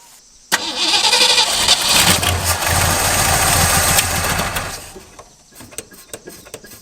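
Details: 1963 Ford Galaxie that sat for a couple of years, briefly flooded: the engine catches abruptly, roars into a rough, fast run for about four seconds, then settles lower and keeps running.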